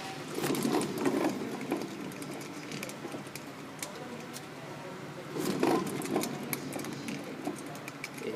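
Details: Honda Fit right rear hub spun by hand: a rough, churning "go-go" rumble from the center axle area that grows with rotation speed, from a failed hub bearing. The normal left side is quiet.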